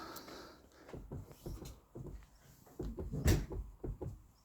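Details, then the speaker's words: Ford Mondeo Mk4 door rocked up and down by hand gives dull, irregular low knocks from vertical play; cause is a loosened small 8 mm door bolt, fixed by tightening it. "Короче, двер дверка болтається вверх-вниз."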